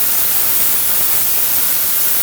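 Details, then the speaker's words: VEVOR 8-gallon ultrasonic cleaner switched on with unheated water at 19 degrees, an old pulley in the tank: a steady high hiss with fizzing cavitation, even and unbroken throughout, no faltering, moving dirt. Normal ultrasonic cleaning. "So I'm going to go ahead and turn it on and see what it does."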